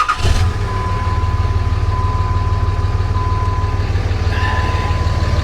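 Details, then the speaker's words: RAM 3500 dually diesel at a dealer auction, low on fuel, started to check blow-by: steady, even low diesel clatter at idle with no knocks or misses; sounds healthy, no blow-by seen. "Sounds good though, doesn't it? If you can even hear me."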